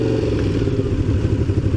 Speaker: I feel like my idle is too high right now. It's like when it's warmed up, then it's too high.